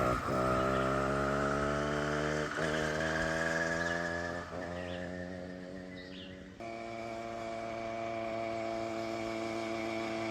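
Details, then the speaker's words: Motorized bicycle with 66cc two-stroke engine, running after sitting three years: even buzzy chainsaw-like drone dipping as throttle eases then steady; runs cleanly. "Oh yeah. Sounds like a chainsaw."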